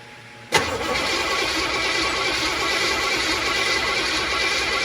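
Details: 1964 Chevrolet Malibu/Chevelle after engine mount replacement with fuel pump and starter removed and refitted, starting on dry fuel lines: quiet, then catches sharply and settles into a steady, even idle; starter engages and engine fires properly.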